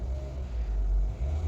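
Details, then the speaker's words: Mitsubishi Xpander Cross engine after 3.5 years / 35,000 km: RPM stable at idle, then throttle opened; deep even rumble swelling smoothly and settling, responsive, quiet in cabin; normal healthy engine. "Nah ini enak sekali, mesinnya masih enak, masih halus ya. Untuk dalam kabin pun suara mesinnya nggak kasar, nggak kedengeran, bahkan halus sekali ya, seperti itu."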